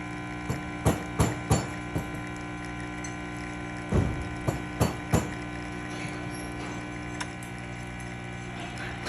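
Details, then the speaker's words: Rocket Appartamento espresso machine after full service, test shot at about 1 to 1.2 bar: steady even pump hum with handling clunks; pump running consistently, normal. "so you can hear the pump is nice and consistent now"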